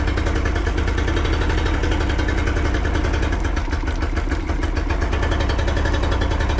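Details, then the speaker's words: Yamaha 40 hp two-stroke outboard at idle runs slightly rough with an uneven, stumbling misfire beat, blue smoke and unburned fuel; it cuts out or bogs under load, pointing to fuel delivery or ignition trouble. "What happens at idle or low speed? The engine runs a little bit rough and has blue smoke and signs of unburned fuel in the exhaust."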